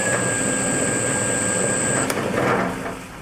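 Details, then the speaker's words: Circa-1940 Hercus metal lathe with 80 years of wear, under rebuild, runs with a rough shaking rumble and thin high whine, then winds down; owner suspects pulleys, possibly a gear, out of balance: heavy spindle vibration. "okay pick it up from the video remember had a lot of vibration on the lathe you actually hear it"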